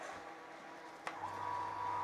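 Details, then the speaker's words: Monoblock (Tullu) water pump motor after bearing and seal replacement: switches on into a quiet, even hum with no grinding or rumble; bearings healthy, running like new. "को देख सकते हैं आवाज बिल्कुल नहीं है कि हमने ऑन कर दिया है"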